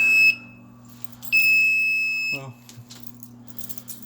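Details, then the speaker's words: Zone fire alarm panel beeping after a pull station change: two sharp high-pitched beeps, the second held about a second; end-of-line resistor disturbed, panel kicked to maintenance trouble, then acknowledged, silenced and reset. "You can hear it beeping from here. Hey, here we are. So hit acknowledge, alarm silence, and now I'm gonna hit reset."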